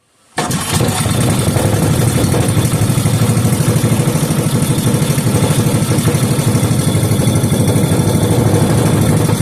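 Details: 5 hp Briggs & Stratton engine rebuilt from a very incomplete state, refired with some two-stroke fuel and penetrating oil burning off: starts at once, settles into an even, steady single-cylinder beat about three pulses a second; normal running.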